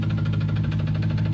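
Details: 2014 Jeep Grand Cherokee SRT 6.4L 392 Hemi, used replacement engine, at idle: regular deep knocking on every revolution, loudest low down; engine resists turning by hand, crankshaft problem suspected, not confirmed.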